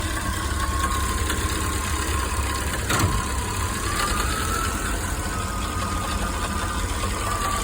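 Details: Chevy 305 small-block V8 at low rpm: low idle rumble with a light, fast metallic valvetrain-type rattle on top and a faint steady whine; owner suspects a bent pushrod or bad lifter, unconfirmed.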